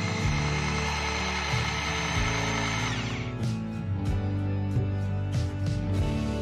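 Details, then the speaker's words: Makita 4327M jigsaw, about 2 years of use, gearbox just lubricated after teardown: even, steady motor hum with no rattle or clatter as the blade runs; smooth, well-greased gearbox, normal running. "Sangat lancar, kan, teman-teman? Tidak ada suara berderak;"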